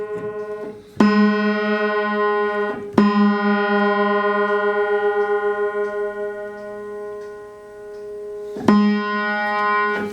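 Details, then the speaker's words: Upright piano being tuned by ear, G-sharp: the held note wavers with a slow pulsing beat because its unison strings are detuned from each other, giving a honky-tonk sound. "Little bit of a dance. There's some formula for what that's supposed to sound like, but you'll hear it."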